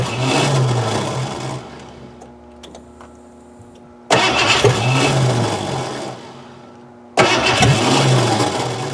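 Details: 1988 Ford Crown Vic that sat about 5 years, after cleaning a corroded distributor cap, new battery on charger: three cranking bursts about 160 rpm, no firing.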